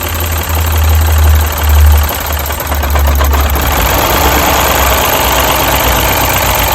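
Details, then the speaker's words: Misfiring Mini during coil test: with coil 2 unplugged the idle lurches and sags in heavy low thumps, nearly stalling, showing coil 2 works; cylinder three coil later found faulty. "and as you see that one works even better because it wants to switch off the clasp"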